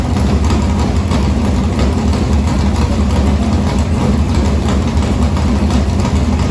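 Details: Morgan Machine-built open V8 (about 358 cu in) race engine in a Harris car, EQ heads, likely Edelbrock Victor Jr two-barrel intake, started after sitting a week and a half to refill an unhooked fuel line: deep lumpy loping idle with an even beat, no knocks or ticks; normal idle.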